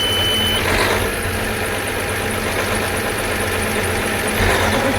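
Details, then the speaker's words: Farm tractor diesel started without a problem for a charging check, with a battery pack fitted; steady, even idle clatter with no misses or knocks; 13.3 V, then 14.2 V at the alternator; a belt squeak under heavy draw suggests a bad tensioner. "Oh, it started no problem."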